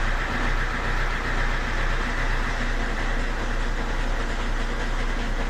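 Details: Fiat Doblo 1.6 MultiJet diesel after timing belt, water pump, valve train and oil pump rebuild and fuel filter change; steady even idle clatter, two to three beats a second, no misses or knocks, so timing looks okay.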